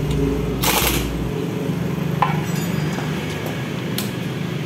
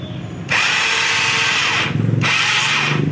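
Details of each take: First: Yamaha Mio carburetor scooter after repair of a slipping electric starter that only spun without engaging: a short clean starter whirr, the engine catches at once and settles to an even idle; normal starter engagement. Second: Yamaha Mio carburetor scooter, electric starter slips: two bursts of high free-spinning whir without cranking or firing, starter won't engage the pulley; one-way starter clutch fault.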